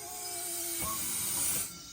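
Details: Dentsply Sirona Drufomat vacuum-forming machine making clear aligner trays, with the handle pulled and the button held. A steady airy hiss with a faint tone that cuts off after about 1.5 seconds: normal suction pulling the plastic down.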